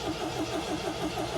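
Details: 1979 MGB long kept in the family, choke set and fuel pump heard priming: even starter churn about six beats a second with no firing catch; cranks but won't start on bad old fuel.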